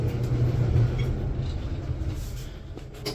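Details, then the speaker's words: Electrolux dryer after cleaning a clogged blower fan through the lint trap opening, which had caused loud banging and jumping: now a smooth, steady low rumble with no banging or shaking, normal running. "There we go. It sounds normal. All right. So, yep. Sounds good. Doesn't sound like it's going to jump through the roof now."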